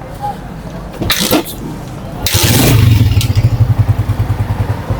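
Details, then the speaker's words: Honda CG 125 single after a rebuild (no engine oil found earlier; rocker assembly tightened, oil added, tappets adjusted): catches after a couple of bursts and settles into an even, steady beat with no ticks or knocks, a healthy idle. "ये देखें जी bike हमारी बिल्कुल sound proof है। Engine बिल्कुल हमारा smooth चल रहा है। कोई किसी किस्म की गैर जरूरी आवाज नहीं है इसके अंदर से।"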